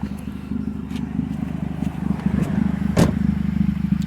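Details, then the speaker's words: 2012 Honda CR-V on ramps at idle: a fast, uneven puffing tick about three times a second over the low rumble, loud and squeaky; exhaust leak from a gap between the muffler and the catalytic converter. "and basically what has happened is there is a gap between my muffler and I guess my cat over the converter"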